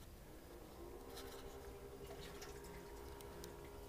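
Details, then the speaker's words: Solar heat collector circulation pump switched on by basic differential controller after lowering differential setting: quiet steady hum with water trickling and gurgling through pipes; circulation pump running, normal flow. "can you heard here the pump just came on okay okay so our pump is on the green light is is back on"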